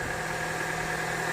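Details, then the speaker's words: Petrol engine idling steadily and evenly after the noisy A/C compressor pulley bearing was greased; the compressor now engages cleanly, with no knocking, rattling or bearing noise. "Сейчас всё отлично уже смазал на место поставил о и компрессор сейчас хорошо притягивается чётко всё не шумит"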